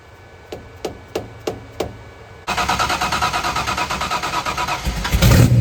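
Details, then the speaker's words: 1990 Lincoln Town Car 5.0 (lopo shortblock, Holley 650 DP carb just assembled, GT40 heads, Cam Chowder cam, BBK long tubes, MSD ignition) at first fire: slow cranking ticks, then the V8 catches and settles into an even, steady idle; normal idle. "I mean honestly it sounds a lot better runs a lot better than I thought it was going to so I'm actually pretty happy"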